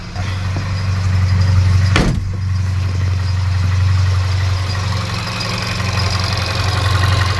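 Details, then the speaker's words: Crashed VW Polo R Line first start after engine wiring harness swap; low idle swelling and sagging unevenly with a chain-like rattle on the case, EPC light on: rough idle, wiring ruled out, owner plans plugs, oil change, timing check. "still running like a Bag of Nails you can hear that noise that sounds like the chain that does rattling on the case"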